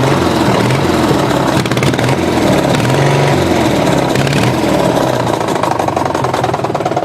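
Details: Tractor engine, ran low on oil and connecting rod came loose on crank; retightened but knock remains, owner considering replacement: starts and runs rough with uneven heavy knock under exhaust note; rod knock.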